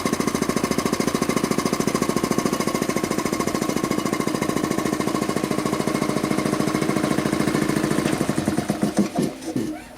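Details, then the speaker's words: Quincy model 325 air compressor after rebuild (cylinder head cleaned, valves rebuilt), test run: steady, even chuff at about three and a half strokes per second with no discharge-valve leak click at the intake, then it winds down. Healthy. "well that sure looks good to me you can sometimes you tell if the discharge valve here holds all your air pressure back there's no in tank check valve and if the discharge valve leaks you can actually hear it come out of the the intake"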